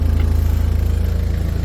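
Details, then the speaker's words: Talbot Express van converted to a 2.0 HDI Peugeot DW10RHY diesel: even, steady idle chug around fifteen pulses a second, no knocks or misses, much quieter than the original Talbot engine; normal diesel idle. "I'm very pleased with it. It's very quiet compared to original tool bits. It's a massive difference."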